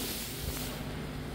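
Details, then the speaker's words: DryBot engine corrosion-inhibiting system just switched on, hose feeding dried air into an aircraft engine, cold day: steady low hum of the small internal pump with even airy hiss, no surging or rattles. Normal running. "I hear a little pump inside running so I assume that means there's air coming out which is a good thing"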